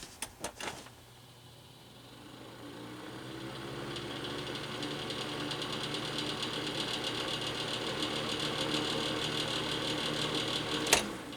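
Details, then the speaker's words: Titan heater fan spinning up with a fast buzzy rattle over its hum, from worn cheap fan motor bearings; spin-down time also reduced. "Here it's got a nice rattle to it, so we're going to be fixing that."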